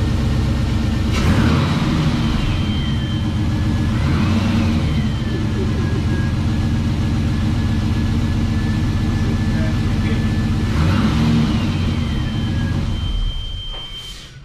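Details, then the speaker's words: Nissan Patrol with L98 V8 swap, just started for the first time after build: even idle with three clean throttle blips rising and falling smoothly, no knocks, misfires or squeals; healthy engine. "It starts, it sounds absolutely amazing. I cannot believe that."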